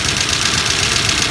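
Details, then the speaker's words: 1963 Dodge 330 worn slant six, first run in 25 years on a below-freezing day, valves freshly tapped free: loud busy metallic valve clatter over rough idle; two dead valves, owner suspects wiped cam lobes, not confirmed. "Old mama is running, man. Yeah! Woo-wee! Listen to that valve clatter."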